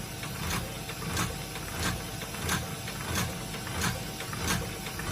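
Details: HP LaserJet P1102w with a paper-pickup fault, red and green lights on but nothing printing: regular mechanical clacks about every two-thirds of a second as the tray cycles up and down without feeding paper; pickup solenoid fault from a missing spring.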